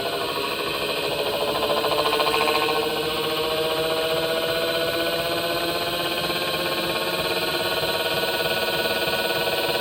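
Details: Panasonic NA-SD series washing machine, 2025 model: rhythmic whirring hum pulsing about three or four times a second with a clear tone; abnormal noise, belt slipping off or motor suspected, cause unconfirmed.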